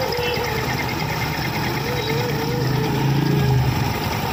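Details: Jupiter scooter idling with a rough low drone and a faint rising whirr from the belt side; abnormal CVT drive-belt noise, cause not pinned down.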